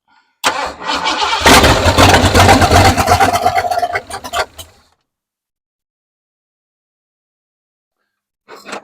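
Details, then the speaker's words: 1968 Ford F100 that sat over 5 years, first start on a new Holley carburetor with a temporary boat fuel tank; it cranks, fires and revs briefly, then stumbles and dies because it isn't getting enough fuel. "Yeah, it's just not getting enough fuel"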